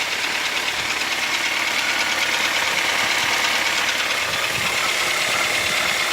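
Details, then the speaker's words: 2006 Toyota Rush, 3SZ engine, at idle in park: loud sharp regular tapping about three times a second, present for about a year; suggested causes valve clearance or piston, unconfirmed; owner considering engine replacement. "Вот это так вот работа мотора на холостых оборотах. Где-то около года вот такая уже проблема. Однозначно тоже никто ничего не может сказать. Кто-то говорит, это зазор клапанов, кто-то поршневая."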